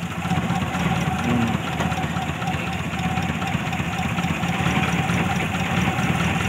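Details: Daihatsu Zebra after carburetor tuning for better fuel economy: small four-cylinder idles steadily with even unbroken chug, no knocking or hunting; smooth normal idle.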